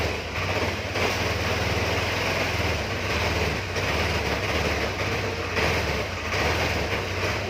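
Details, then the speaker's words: Honda Vario 110 carburettor scooter that stumbles or dies when throttle is opened: revs sag and catch unevenly; carburettor, diaphragm, fuel, compression or ignition suspected, not confirmed. "karena brebet seperti ini penyebabnya banyak ya bisa juga di karburatornya kurang normal bisa juga di bagian membran nya"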